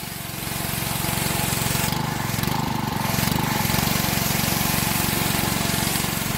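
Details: Honda 6 hp pressure washer engine, sat outside 2–4 years with suspected water in the gas tank, after oil, gas and spark plug change and carburetor cleaning: steady, even pace with no surging or hunting; running fine.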